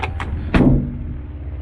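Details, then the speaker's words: VW T5 Combi sliding door: two light clicks, then a hollow, heavy bang with short metallic ring when closing, harsher than the other side's door; the door has evidently been replaced. "oh does it sound [Music] horrible when we compare it to this side so yeah that door's obviously been changed"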